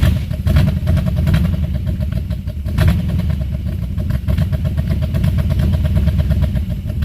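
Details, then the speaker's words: Buick 350 V8 after oil pump and lifter work, following an earlier pushrod change: really cold start on choke, smoking from spilled oil, running lumpy and uneven. Owner suspects the oil pump and a new exhaust leak; a squeak is also heard. Rough running. "It smokes, of course. It sounds awesome. It runs like crap."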